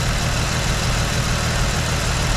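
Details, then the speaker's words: V8 idling after a Rochester 2G carburetor rebuild and lowering the idle slightly: deep, steady, even rumble with no knocks, ticks or stumbles; normal idle. "all right this thing is running like a charm right now"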